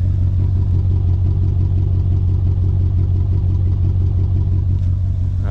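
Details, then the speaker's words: Mercedes C55 AMG that lost power at bottom/top of fourth gear and sounds almost down a cylinder; not on full power, gearbox feels odd: deep, throbbing idle with uneven pulse; rough running engine, possibly misfire, cause unknown. "it got me back home but it was definitely not running right and definitely not on full power it almost felt like the gearbox a few times"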